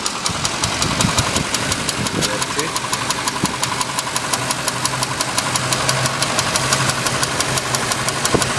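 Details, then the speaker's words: Cadillac Coupe DeVille, 7.0 L 425 CI engine, hard to start, needing 10–15 gas pumps, on Autolite plugs before tune-up: sharp ticking about three per second over a lumpy idle; owner suspects the Autolite plugs, swapping to AC Delco plugs and a new coil. "I got this ticking noise in here after a lot of study I realized that I shouldn't use auto light spark plugs"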